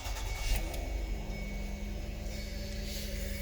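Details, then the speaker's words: 2009 Mazda Tribute idling smoothly right after clearing codes P0304 (cylinder 4 misfire) and P0022; quiet, low, even rumble with no misfire stumble, ticking or knock. Healthy engine, driving great, no check engine light yet. "Sounds good. Let's see what happens if we read it again."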